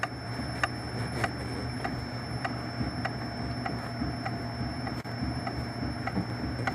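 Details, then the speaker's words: Citroën C4 on a RuidCar shaker, mic near rear body: light ticking creaks at about a hundred a minute over the steady hum, stopping when a hand presses the panel. "a gente bota a mão na lata o barulho some solta de volta olha o barulho"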